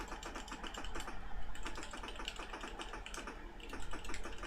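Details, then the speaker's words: Refurbished ZX Spectrum issue 4S board on test with a keyboard plugged in: quick, crisp, irregular key clicks with no sticking or rattle; keyboard working normally, the typing delay coming from the cheap TV. "Can you hear the keyboard clicking? There's actually quite a delay between the typing and the TV registering it."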